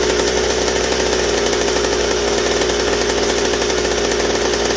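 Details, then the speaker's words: McCulloch 790 chainsaw frame with MC101 kart engine, new header and pipe, 3D-printed carb adaptor: flat-out scream holding a steady high note with no four-stroking burble; carb can't dump enough fuel at high speed, running lean. "but it's not fitting enough on the high speed i can't get it to four strokes so the carburetor works but still the same issue"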